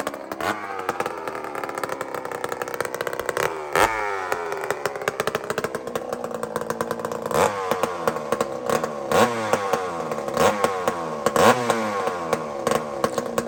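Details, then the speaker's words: Chainsaw running on straight gas with no oil mixed: winds up to a thin, piercing scream with rattling clatter, revving far too high; over-revving from lean running without oil. "if you look at how clear this gas is it's white this is straight gas friends I'm not playing around"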